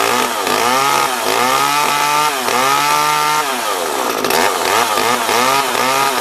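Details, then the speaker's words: Small two-stroke chainsaw revving up and down several times, picking up cleanly and dropping back without stalling; runs fine and chain brake works, though the owner suspects the oiler isn't working. "well that works I didn't think the brake worked for a second but I got it working"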